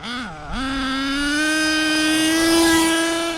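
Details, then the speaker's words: HPI Savage X4.6 nitro RC truck with optional 3-speed transmission at full throttle. Engine climbs to a high steady pitch and holds with no drop; no wheelies, owner thinks it's in 3rd, engine running great: not shifting. "No shifts at all. It's running great, but that's not 1st gear."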